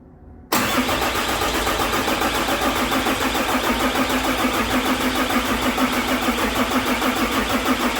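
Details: 6.7 Cummins hotshot truck during injector repair, cranked manually with a cap over a port to check for movement: steady rhythmic chugging about 200 beats a minute, never fires; something assembled wrong, cause not confirmed.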